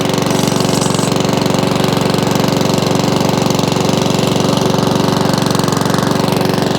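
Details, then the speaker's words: Mountfield 414/416 lawnmower, non-running dump find, after priming: after a pull the single cylinder holds a fast steady beat about 200 pulses per minute without hunting, some oil from exhaust. Steady idle, no hunting. "bit of all coming out the exhaust you hear it not hunting that's good"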